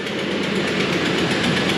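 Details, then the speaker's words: Ford F-150 5.4 Triton V8 replacement engine at restart after sitting: quick, regular tick at idle from a cracked exhaust manifold, louder when cold and sealing up as the metal heats; manifold to be replaced. "yeah we can clearly hear that's got a nasty exhaust leak over here on this side that's that ticking"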